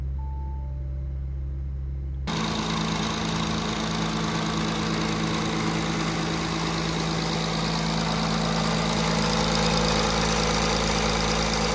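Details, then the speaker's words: Audi A6 C8 3.0 TDI (third gen) at idle, before repair: a steady diesel clatter with constant metallic rattle and ticking, combined noise from a loose timing chain and worn camshaft sprockets. "the engine is making bit of rattling noise what you seen on the previous video the chain is a bit loose so it's a combined sound from the engine from the chain and the worn out come shot sprockets"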